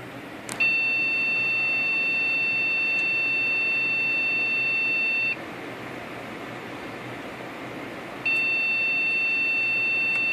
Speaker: so when I turn it on you'll hear the beep the one long for this particular motherboard one long beep means that there's a an error with the memory